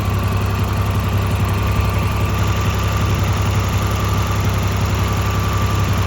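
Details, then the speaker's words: 1986 Nissan 300ZX, unused for 5-6 years, after new ignition parts: steady low idle with an even pulse and no stumble, miss or ticking. Running decently while warming up; owner hopes piston rings will seat. "But it's running pretty decent right now. So I'm just gonna let it keep sitting here for a minute."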